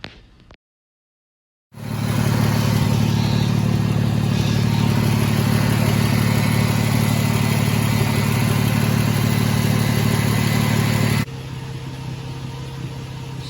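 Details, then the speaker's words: 2006 Toyota 4Runner, after repairing no-start-when-hot caused by bad park/neutral switch and connector, warmed up about five minutes: steady even idle, firm low hum, no misses, knocks or hunting; normal idle. "I've been heating it up for about five minutes still looking good I'm gonna let it set here in idle"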